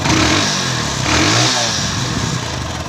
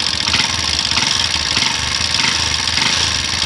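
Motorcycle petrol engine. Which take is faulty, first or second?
second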